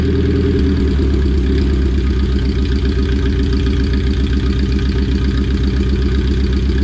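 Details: All-motor Honda started for the first time after a build, awaiting wideband wiring and radiator fluids, on about five-month-old gas; it catches straight away and settles into a steady, even idle with a firm low rumble, no knocks or misses: normal idle.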